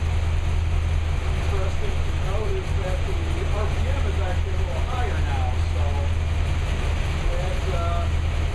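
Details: New V8 with a Lunati 60140 solid cam, after solid-lifter valve lash was adjusted hot from about .010 to .014 intake/exhaust at operating temperature: steady, even idle with a light, regular valvetrain tick. Lash sounds properly set and healthy.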